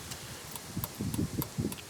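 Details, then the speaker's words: 1998 Dodge Ram 1500 with turn signals not working, after installing a replacement flasher relay, truck on: faint light ticks repeat steadily a few times a second; flasher relay clicking normally, turn signals then work, old relay had gone bad. "Flashers work, but they already worked before. You kind of hear it clicking."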